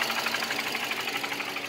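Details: 2008 Nissan Versa hatchback, 1.8 petrol, 188,000 miles, idling with a thin, pulsing, uneven misfire beat; check engine light had flashed; owner suspects a coil, and failing ignition coils proved to be the cause.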